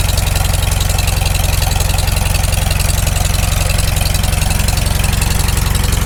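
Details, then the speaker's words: Farmall Super M tractor on first start after full rebuild, cold, initial carb settings: deep, even putter at a steady slow idle with no knocks or misses; muffler starting to smoke from burning paint; engine running healthy, though a knock is expected once warm. "it doesn't idle down too bad given just it's the initial carb settings i can't hear any knocks yet oh it's still cold it'll knock once it warms up"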